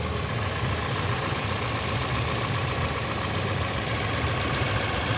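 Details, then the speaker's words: Toyota Camry Hybrid 2AZ engine after head gasket and cylinder head repair, no catalyst, heard after a 10-minute test drive; smooth, quiet, even low idle with no ticks, knocks or whine; normal idle, repair thought to be a fix. "can listen and see it's quite cool, no noise. If I go further away from it, you might not even hear the engine sound at all."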